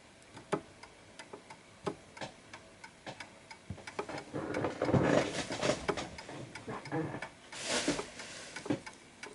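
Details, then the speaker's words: Antique Westminster-chime pendulum clock with silent function, repositioned on its surface until level: steady, evenly spaced tick-tock in beat, with some handling noise midway. "So as you can hear, that's a perfect ticking clock."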